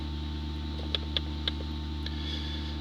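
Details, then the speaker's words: 2005 Dodge Grand Caravan with ABS light and pump motor circuit failure code, pump commanded on via scanner functional test: constant low motor hum with light clicks; pump now runs, which it could not before. "So, well, we heard the pump work. So, pump's running. Couldn't do that before."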